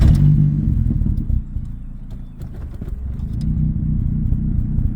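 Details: Truck just after a hard start: engine runs low and uneven, beat stumbling and sagging instead of settling; rough running.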